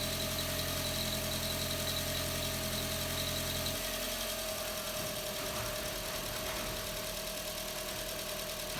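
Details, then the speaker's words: MK4 Jetta 1.8T first start after blown head gasket repair with replacement head, new timing belt, water pump, thermostat and temp sensor; started first try, smoky, owner suspects valve cover leak. Steady, even idle with light regular tick, no misses or knocking. "smoky up in here, but started. First try."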